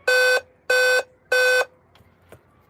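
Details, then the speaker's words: Dell laptop that won't power on: three long, even mid-pitched beeps, about one every 0.6 seconds, at power-on. This is a memory beep code; the RAM is suspected unrecognized, possibly incompatible, and original Kingston memory is to be tested. "It's giving 4 bits. It could be the memory, but it could also be that it's only recognizing one memory change. Because it's giving 4 beeps. But I think it's RAM."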